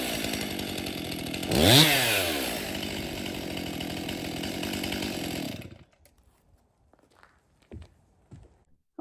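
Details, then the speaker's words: Stihl MS261 50cc M-Tronic chainsaw after full service, new fuel solenoid, air filter, fuel filter, spark plug, bar and chain: blips cleanly to a high even scream and settles smoothly, then shuts off; starts, runs and oils well. "So this Stihl MS261 runs good, starts and runs good. It's oiling well."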